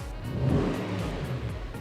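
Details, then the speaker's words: 150,000-mile Audi RS4 4.2L V8 after first carbon cleaning and new injectors: strong, even revs rising and falling smoothly, no knocks or misfires; sounds no different from before; healthy revving. "go on so that's the sound of the v8 now carbon cleaned sounds no different really does it but it should well hopefully gain some power"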